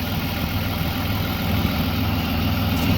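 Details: BMW E36 with new Ireland Engineering catback and catless M3 midpipe, after fixing a ripped ICV-to-intake boot hose that caused the no-start: low steady idle, even beat, no hunting or stumbling, normal.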